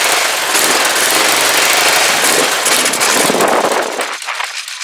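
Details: Rebuilt Kawasaki GPZ500S twin in a frame, restarted on fuel left in the float bowls only: loud, fast, crackling exhaust holding steady revs, then thinning as it runs out of fuel; running properly.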